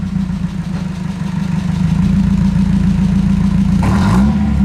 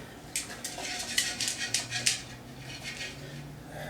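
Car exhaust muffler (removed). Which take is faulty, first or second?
second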